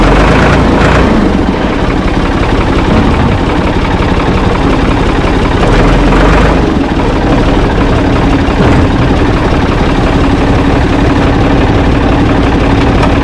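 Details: Ford 445 tractor, owner thinks a 1970s model, restarted with owner aboard: deep, steady idle with low rumble, no knocks or misses; engine healthy, though drive in forward and reverse quit, owner suspects linkage.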